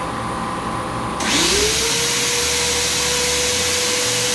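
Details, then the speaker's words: Eastwood bench-top blast cabinet vacuum switched on, compressor at 90 PSI: motor pitch rises quickly into steady even whine, no rattle or grinding; normal running, gloves lift showing cabinet sealed. "Oh, it's vacuum tight really good. It lifted the gloves right up. The gloves shot up the minute I turned the vacuum on."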